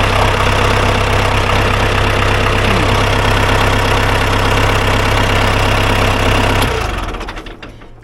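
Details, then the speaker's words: Ford 2120 diesel tractor that sat for years, after cutting rusted-tight throttle cables and setting lowest throttle: even low clatter at steady idle, no misses or knocks, then winds down and stops; normal idle. "she sounds pretty good. Well, that's cool. I am thrilled that it starts."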